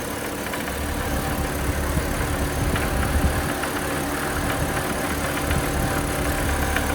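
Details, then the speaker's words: BMW E90 330xi at a rough idle: uneven metallic knocking with no belt whine; belt tracks true, so not accessory drive, pointing to internal engine damage; engine judged toast. "It definitely doesn't sound like accessory drive. He's really not happy now. I think this thing's toast."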